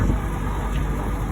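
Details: GE AHEK08ACW1 air conditioner, three weeks old, that kept kicking off and beeping, after bypassing the control board (timer/delay mode lost); a steady, even low compressor and fan hum with no clicking, rattling or cycling, blowing cold. Normal running.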